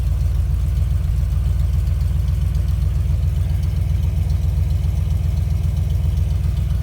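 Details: 1971 Ford crew cab with freshly rebuilt 352 FE V8 (new cam, lifters, bearings, rings, oil pump), 2-barrel carb, replacing a worn 390, just started on a warm day: deep, even burble with no knocks or misses, good oil pressure.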